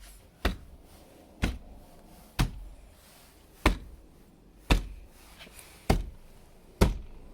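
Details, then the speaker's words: 2014 Jeep Grand Cherokee WK2 diesel, about 50,000 miles, front door after sound deadening (Noico, 5 mm closed-cell foam decoupler, Tesa tape): seven dull knocks on the reassembled panel, dying quickly with no ring or rattle; door well damped, shuts solidly. "so if I hit it here I still hear something sharper but it does shut pretty well okay I hear the same thing on this side so that's good"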